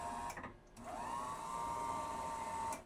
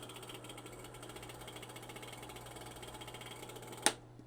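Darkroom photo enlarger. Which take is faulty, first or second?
second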